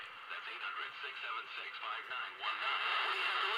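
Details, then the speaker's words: Old pocket AM transistor radio: harsh, fuzzy sound with no low end, squealing and howling when turned up, distorted even at modest volume; needs new capacitors, improved slightly after an hour's running. "the only thing is you turn it up and it squeals and howls son that's on am i had to look pretty distorted turn it down"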